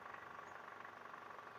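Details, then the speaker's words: Toyota 2AR-FE 2.5 (Camry/Alphard) idling in R or D under load: a rough, fast, uneven clatter from a worn, loose balancer shaft gear. The noise disappears in neutral. "Nah, itu salah satu tanda-tanda ya kalau balance resap problem itu di posisi tertentu aja, kayak di R, di posisi D ya, karena beban mesin berlebih jadi dia bunyi kasar"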